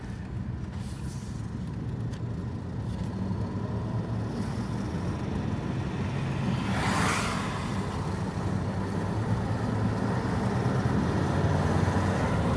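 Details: Audi 2.7T: low engine rumble with a brief airy hiss rising and fading once near the middle; turbo flutter/hiss, cause unknown.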